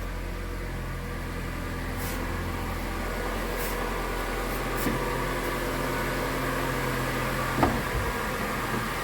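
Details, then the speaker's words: Mitsubishi Lancer X 2.0 with CVT, after alternator work (bearing suspected) and injector cleaning: petrol engine idles with steady low hum and no belt squeal, even cold where it previously squeaked; problem fixed. "всем машинка работает ровно и по поводу песка ремня звука нету проявляться он на холодную час его нету получаются мы победили"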